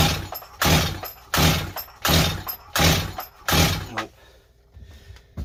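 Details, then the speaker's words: Rebuilt Stihl 025 chainsaw with new Meteor top end: five even rope pulls about a second apart, each a brief whirring crank with no firing or catch; cranks but won't start, air leak and carburetor to be checked. "not going to go you guys uh that's what we go through though"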